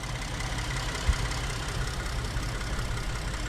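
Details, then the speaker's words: Ford F-150 3.5 V6 after water pump and thermostat housing seal replacement: even, low, steady idle with no ticking, whine or knock, previous noise gone and no leaks; normal idle. "d that is it it is now running no more noise it's gone no leaks we uh we wrapped that one up"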